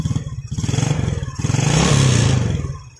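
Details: Yamaha Jupiter Z small motorcycle engine stumbles and dips unevenly as fuel leaks through a faulty fuel tap into the vacuum hose and straight into the manifold, bypassing the carburettor; this causes black plugs and heavy fuel use.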